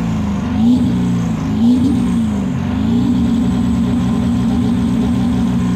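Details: Ford 7.3 PowerStroke diesel floored under full throttle: a roaring, ragged, uneven note with wavering pitch as it pulls, with blue smoke. The engine is misfiring under hard acceleration.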